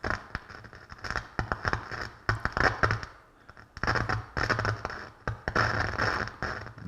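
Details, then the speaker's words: Pioneer SX-727 receiver on bench speakers, protection relay engaged: irregular sharp crackles and pops spiking over a hissy floor; static appears to come from the preamp, as it goes dead silent with the preamp jumpers pulled. "this is definitely why i didn't want to put it just directly on the bench speakers even with the protection relay cutting on we do got some spiking here and this is sounding like it's coming from the preamp"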